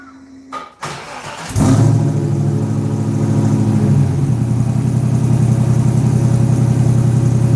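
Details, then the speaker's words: Firebird with stock LS3 V8, two-chamber Hooker mufflers, cold start: starter whir, then catches and settles into a steady deep even burble with lumpy rhythm; normal cold start and idle. "Not bad for a Doesn't sound bad for a stock LS3, right? Hooker mufflers is what's on here. Two chamber hooker."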